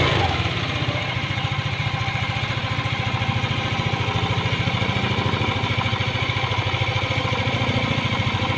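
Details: Yamaha Aerox 155 scooter, engine very hot, after rebuild: even single-cylinder idle pulsing about three times a second. The hot-engine 'tunog jolen' rattle is gone.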